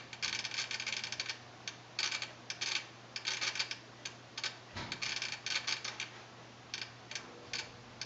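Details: Aging Sony STR-DA555ES receiver that suddenly started clicking while watching TV: rapid bursts of crisp clicking stop and start irregularly over a faint steady hum, like a relay chattering. Unit opened for repair; fix not yet known.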